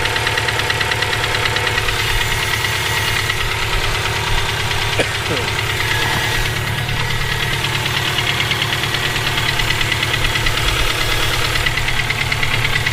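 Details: Subaru EJ257 flat-four at idle, noise present for about 17k miles since purchase: steady rapid knocking; rod knock, spun bearing or valve lash needing adjustment suspected, cause unclear.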